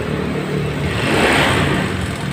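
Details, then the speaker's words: 2015 Honda Scoopy scooter brought in with very rough, harsh engine noise, oil-starvation history unknown; rough clattery mechanical roar rising with revs; mechanic suspects worn piston and cylinder. "apa yang menjadi sumber permasalahan menonjol sehingga motor ini kok kasar sekali untuk prediksi awal ini saya curiga ada di area seekor ya ini mungkin ini seher oblak ceker barat"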